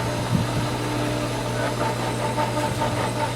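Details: Pool pump at first start-up when opening the pool: steady motor hum with a thin whine and scattered small pops and gurgles, still pulling air while priming, then begins taking water.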